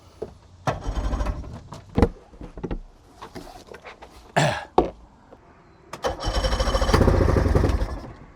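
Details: Project boat outboard, start attempt after build, battery charged only to 52%: short uneven cranking bursts stop and start without catching; hard starting, cranks without firing; owner suspects ignition, new choke on hand, not confirmed.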